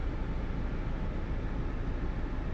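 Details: Toyota Fortuner diesel with code P0093, stalling while driving and no acceleration, idles at normal speed but shakes heavily with uneven low rumble from faulty injector No. 3; injectors tested, cleaned, all 4 nozzle tips replaced.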